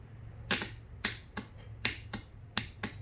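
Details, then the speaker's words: Riding mower starter solenoid bench-tested with a battery and jumper cables: sharp dry clicks as the switch leads are touched, solenoid pulls in cleanly; original fault suspected to be a poor ground. "you can hear it clicking so that's that's good uh makes me think that just wasn't grounded properly"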